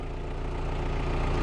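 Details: 2000 Volkswagen Jetta with intermittent stalling and no-start, just started with crank sensor signal now present on scope: steady even low rumble with no knocks or dips, settling into a smooth healthy idle.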